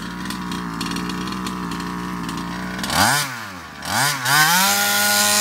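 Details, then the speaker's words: Baja RC car two-stroke after a carburetor swap (Longhorn carb): crisp buzzing idle, then clean rev-ups with no bogging. Performance is restored; the carb was the cause, not the piston ring. "as you guys can see cop swap out immediately it revs up it's got the performance oh it's definitely not the ring it is the cop"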